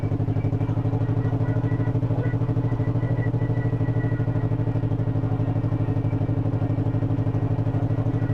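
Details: 1958 John Deere 420W two-cylinder tractor, after cold start; this one idles really low, slow even putt about three beats a second, clean with no knocks: normal low idle.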